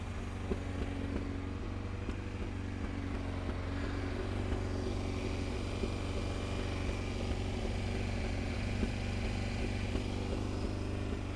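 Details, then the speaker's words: Honda CBR900 Fireblade SC33 four-cylinder, warmed up, revs raised onto main jet before balancing: ragged, uneven pulse; it had been running on three cylinders (number three); carburettors badly out of balance on all cylinders. "you see the car balance is absolutely miles out they're miles out on all of them so we'll get that addressed now"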